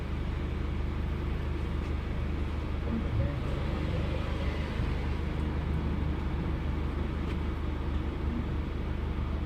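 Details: Low, steady engine rumble with an uneven stumble breaking the rhythm a few times a second; misfiring cylinder.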